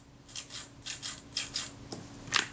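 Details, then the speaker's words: Voigtlander Perkeo II Synchro-Compur shutter after solvent flush of the sticky retard gear train: several quick, crisp metallic whirs, each a short bright zip with no drag, audible now that the dirt layer is gone; normal gear train run. "weren't hearing that before because everything was covered in a layer of dirt."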